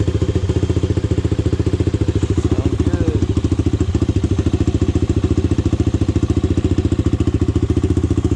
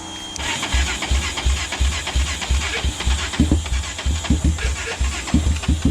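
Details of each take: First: Honda 400EX single, first start after rebuild and idle-screw adjustment: steady idle thump at about 3.5 beats a second, no knock or valve tick, bottom and top end healthy. The owner still plans to work on the carburetor. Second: Honda 400EX ATV single-cylinder, first start attempt after starter rebuild, compression up from 10 to about 90 psi: slow uneven cranking about three turns a second with weak firing pops that don't catch; sputtering, battery thought to be dying.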